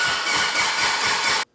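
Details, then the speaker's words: Abandoned Mitsubishi Evo 8 under restoration with a new crank sensor and temporary wiring: even starter cranking with steady compression beats, but it won't start. The ECU shows no cranking RPM; wiring and ECM grounds are being checked. "all right cranking RPM please give me something what come on dude why why why why it sounds healthy though"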